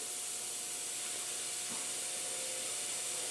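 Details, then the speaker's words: Transfer box removed from the vehicle and pressurised with compressed air through a regulator, valve shut off: steady, even hiss of escaping air with no engine running; air leak, later traced with soapy water to an end cover. "if we shut the tap off we can hear it leaking so now we need to know where that leak's coming from"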